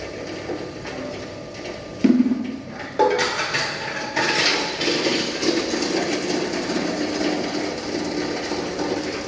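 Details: Hammer mill crusher with roughly 7–8 sieve screen crushing dried agro-waste (cocoa pod husk) fed one piece at a time. Sharp knocks, then steady rattling grind settling as the charge passes the sieve; running normally.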